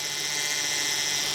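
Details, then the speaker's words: 2004 Hyundai Sonata 2.7 litre after power steering pump replacement: a steady high-pitched, hissy whine over a low hum while the wheel is turned lock to lock to bleed the system; air still trapped in the steering fluid. "so we're doing this to bleed the steering system yeah go the other way i mean the noise you hear is because there's still a little bit of air in the uh"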